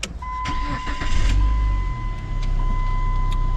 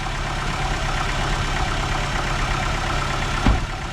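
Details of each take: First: 2002 or 2003 Chrysler Neon after a jump start: short crank, then it catches promptly and settles into a steady even idle under a constant chime; odometer good, fuel gauges no longer flickering, a normal start. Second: Old beater first car started after sitting: loud, steady, slightly rough low drone at idle with no clear fault rhythm; belt sounds worn, cause of loudness otherwise unknown.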